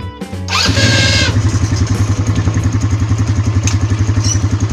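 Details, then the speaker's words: ATV started in gear creeps on its own and sometimes stalls when braking. Quick, uneven idle at three to four beats a second; centrifugal clutch drag, possibly from a loosened clutch nut or the springs under the clutch weights. "sin que las del aire camina sola y cuando frenamos a veces de pronto se apaga cosa que no sucede si todo está funcionando bien"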